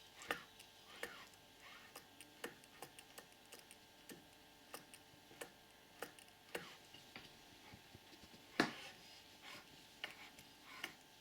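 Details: Purejet scooter with a newly installed Malossi 70cc cylinder kit and Malossi crankshaft, crankshaft turned slowly by hand: sharp irregular clicks about once a second at top dead centre, apparently from the crank rod. Owner asks if this is normal.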